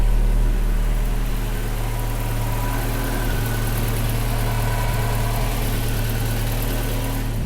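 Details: Volvo 245 after replacing a badly rusted fuel tank and topping up oil, before a road test checking for fuel in the oil: low even rumble, steady beat, no knocks or misses, ending in a door thump; idling smoothly.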